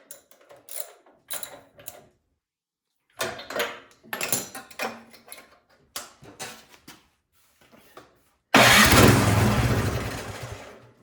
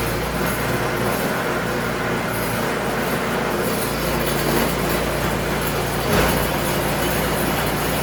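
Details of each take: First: Craftsman snowblower with spark confirmed: several cranking pulls, then a short loud burst on starting fluid that dies away. Owner suspects a clogged carburetor. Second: Craftsman snowblower after a tune-up, carburetor cleaning and fresh 5W30 oil, checked in forward and reverse gears with the auger engaged: a loud, even mechanical drone with no knocks, surging or misses. Normal running.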